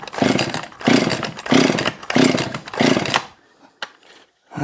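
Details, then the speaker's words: Husqvarna 262XP chainsaw, freshly cleaned and pressure washed: five hard cord pulls, rasping spin with no catch; compression felt, spark seen, fuel squirted in, spark may be too weak or cylinder flooded: cranking no start. "we know it's got compression because I can feel it we know it's got spark because I just saw it and we know that it's got fuel because I just squirted it in there but the spark may be too weak to ignite the cylinder could be flooded with fuel"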